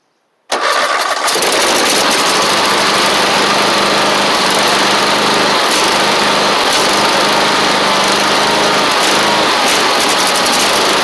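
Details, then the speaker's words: Husqvarna 54in zero-turn with Kohler engine, jump-started after a new ignition switch; it had been kicking back badly when cranked: silence, then it catches and runs loud and even with no clear kickback. "And what it was doing is it was just kicking back really bad whenever I was trying to crank it."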